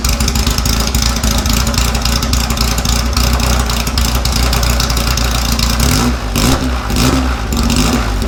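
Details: 1956 VW oval-window Beetle air-cooled flat-four: loud, even running with a few quick throttle blips near the end, no knocks or misses; engine sounds healthy.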